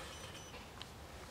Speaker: Teraz mam moc sygnału na poziomie -3 dB, no i słyszycie ten charakterystyczny dźwięk, taki pojedyncze piknięcie, czy tam bardziej podwójne piknięcie, ale takie w taki sposób charakterystyczny dla wyszukiwania sygnału.